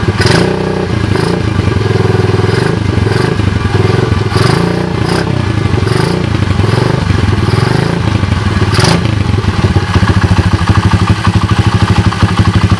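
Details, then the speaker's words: 107/110cc SDG pit bike engine with locked kick starter and damaged 3rd and 4th gears: quick, even single-cylinder thump picking up cleanly on throttle blips, no knocks; the engine runs healthy. "as you guys can hear it sounds pretty good right"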